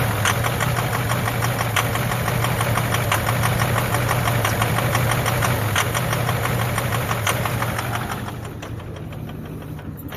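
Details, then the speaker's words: 2009 Ford F250 6.4 Powerstroke diesel, cold start, reeking fuel smoke: steady, fairly even ticking knock about three per second with skipping; injector misfire, occurs mostly when cold. "Ugh. Yeah, see, it ain't right."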